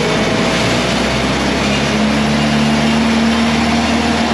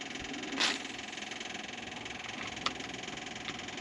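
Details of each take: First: LeRoi four-cylinder gas crane engine (Bantam T35 on a 1945 GMC 6x6), sat 8+ years, just restarted: a loud, fast, steady roar held at wide-open throttle, unloaded, then easing off as the revs drop. Oil pressure came up; wide open is unwanted. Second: LeRoi four-cylinder gas engine on a Bantam T35 crane (1945 GMC 6x6), after the throttle cable was loosened: a quiet, regular pulse at a steady speed with a couple of stray clicks, throttle cracked rather than wide open. It runs evenly.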